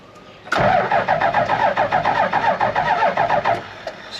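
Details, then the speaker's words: Toyota Land Cruiser HJ75 diesel, about 200,000 km, parked about a decade on a dairy farm, cranking: an uneven loping gallop for about three seconds, with no start. One easy cylinder suggests no compression, possibly a stuck valve. "got a bit of a Gallop in it that sounded like it had a bit of a Gallop like there's an easy cylinder to turn over which could mean a stuck valve however it still should fire on every other cylinder"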